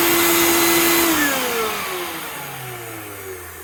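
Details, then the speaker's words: Master Mechanic 6 A wet/dry shop vac, exposed to rain by owners: loud high whine that drops smoothly in pitch as the motor coasts down, no grinding or scraping; noisy but sound. "It's a bit loud, but it'll do the trick."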